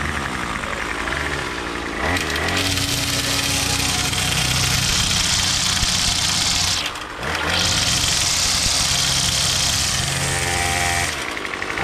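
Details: Troy-Bilt TB22 two-stroke trimmer with new carburetor, new string and a cut-down bump-head spring: steady high-pitched buzz at even revs, dips once briefly then picks straight back up; running healthy.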